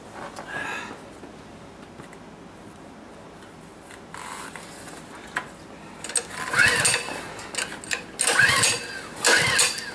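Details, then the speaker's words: Honda small engine in the cold, unmounted and held down by hand: repeated rasping pull-cord strokes about once a second with brief coughs; cold suspected as cause. Hard starting. "Maybe you pull long enough, hard enough, it'll warm it up enough, it'll start."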